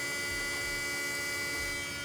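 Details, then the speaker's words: 2010 BMW 535 xDrive electric coolant pump running after the water pump and thermostat were replaced: a steady, jet-like hum with a faint high whine and no wavering or grinding. Healthy. "you hear that that's how your water phone sound like a jet"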